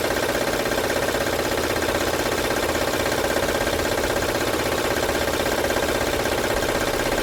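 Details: 2006 Honda Odyssey at idle, no stored codes: loud, steady rattle about 160 beats a minute over the engine hum; timing belt suspected, not yet confirmed. Engine rattle.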